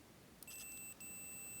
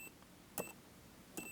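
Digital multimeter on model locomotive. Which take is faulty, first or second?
second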